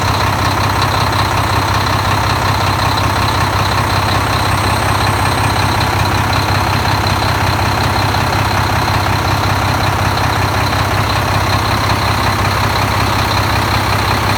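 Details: Volvo D13 diesel after replacing double idler gear in timing gear compartment, following a hard start; loud steady low idle, even clatter about three times a second, constant speed.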